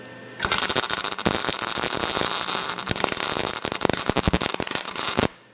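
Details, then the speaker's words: MIG welder on sheet metal, heat setting G, wire speed raised from 3 to 5: uneven crackling arc with irregular pops and stutters as the weld builds up, showing too much wire speed. "Now you're starting to hear the delay again, and it's starting to build up again. So we're set up on G with a wire speed on 5."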